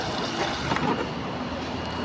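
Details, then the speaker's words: Panasonic 8 kg washing machine with E10 error (no water intake), after replacing faulty inlet valve with one from another machine: steady, even rushing hiss of water filling the tub, no stutter or buzz; normal water fill. "इसका इनलेट वाल ये वाला ख़राब था, ये मैंने बदल दिया दूसरी मशीन का। अभी ये पानी ले रही है और चल"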